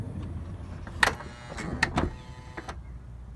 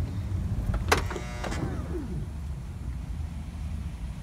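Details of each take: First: 2006 Honda Odyssey driver-side power sliding door after repair: low motor hum and clean latch clicks as it closes normally, no longer over-pulling, straining and releasing, which had caused continuous door-open beeping. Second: 2006 Honda Odyssey driver-side power sliding door clunks shut, motor whirs and pulls door in too far, strains a few seconds, then releases with a clunk; afterward the door-open alarm beeps continuously.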